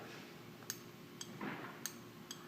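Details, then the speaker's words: BMW E46 M3 VANOS solenoid valve body, off the car, valves actuated by a strong tray magnet after cleaning: four crisp clicks about half a second apart. The valves snap open and shut freely; they worked poorly before cleaning. "and what you hear is the valve opening and closing now when i first did this when i took it off the car it did that very poorly um now after cleaning it up nice and good it uh here it works very well"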